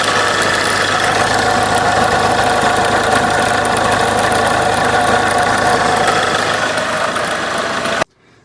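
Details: 2013 Kia Ceed 1.6 CRDi diesel at idle: harsh metallic grinding and buzzing over a steady idle; worn alternator freewheel (overrunning) pulley, fixed by replacing the freewheel clutch.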